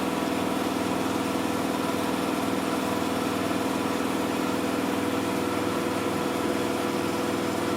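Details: Miele Softtronic W6544 washing machine with a loose drum: steady running drone with a rhythmic thump about twice a second; drum spider (Trommelkreuz) broken, though bearing damage had been suspected.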